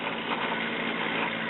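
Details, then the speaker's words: RCA tube radio with a VM record changer playing a 45 rpm record: a steady mechanical rumble and low hum, then a sudden louder clunk. The changer is very noisy, and its rubber parts need rebuilding. "and you can hear how noisy that record changer is so it's it's rubber is definitely going to need to be rebuilt"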